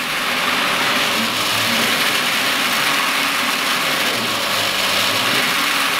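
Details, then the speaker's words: Brewery pump running while chilling the beer: steady gravelly rattle and hiss, cavitation from steam bubbles in the pump, subsiding once temperature drops to around 90 degrees. "that noise from the pump subsides once we get to around 90 degrees it's only cavitation upping basically steam creating bubbles within the pump"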